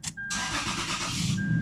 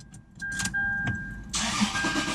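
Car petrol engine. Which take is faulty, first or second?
second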